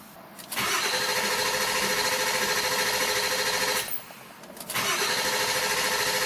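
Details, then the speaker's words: 6.7L Powerstroke starter on 7.3L Powerstroke diesel, cranking without starting, with auxiliary cable from passenger-side battery to starter: strong, even, brisk whir with steady beat, short pause, then cranking again; healthy fast cranking. "this test is with the busto Tron hooked up that is my auxilary wire that goes from the passenger side battery connection down to the starter"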